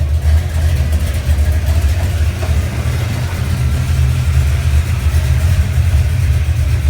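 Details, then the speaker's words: 1970 Chevelle 454 V8, cold start after oil change with additive and completed flat-tappet cam break-in: deep, loping idle holds steady and even, no tapping or misfire; normal idle, cam and lifters healthy. "We're going to go ahead and give it a cold start and see what it sounds like. After the oil change and the cam broken in."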